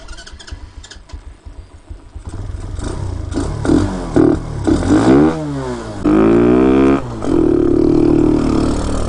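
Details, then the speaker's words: Hellcat 125 (TaoTao Grom clone) with 26mm Nibbi carb, main jet raised to 115 with good lows: revs in sharp rising bursts at wide-open throttle, thin and flat, still very lean; owner then tries a 120 main. "yeah the wide omens round it sounds to me that's a lean very lean still"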